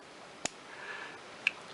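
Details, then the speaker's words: 1940s De La Rue Onoto The Pen 6234 plunger-filler fountain pen, fully restored: two crisp little pops as the plunger handle is pulled out, indicating a good vacuum seal. "so as we said a plunger filler we pull out the plunger handle if you can actually hear it there's that you can hear a slight popping noise there which indicates to me"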